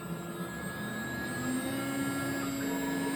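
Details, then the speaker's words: Replacement GDZ-80-2.2b spindle on a Laguna IQ CNC, running a profile program at about 17,500 RPM after the original was swapped and the new spindle's U and V wires were flipped at the controller: a steady high whine holding one pitch, with no roughness, grinding or wobble. The spindle runs smooth and quiet. "this is supposed to be about 17 500 RPM pretty quiet uh I did try cranking it up to 22"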